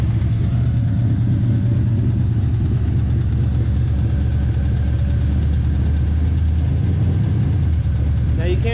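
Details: Small-block Chevy 350 with spun number three rod bearing: faint light tick over steady low idle, early rod knock from damaged bearing.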